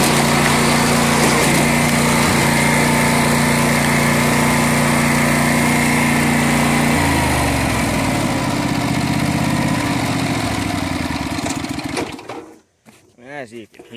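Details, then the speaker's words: 1990s Sears Craftsman II lawn tractor with factory 16 hp Briggs & Stratton engine, 3" front/5" rear pulleys: steady even single-cylinder drone, shifts smoothly under load, fading; rips, kicking up dirt, runs right. "she just rips i mean you could see it just kicking up that dirt but uh she runs right"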